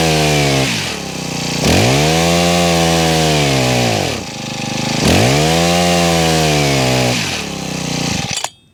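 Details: Honda HHH25 four-stroke hedge trimmer brought in for a broken pull cord and bogging, started after priming and choke: the engine revs up and sags back in uneven surges, not holding speed; rough running, needs carburettor tuning.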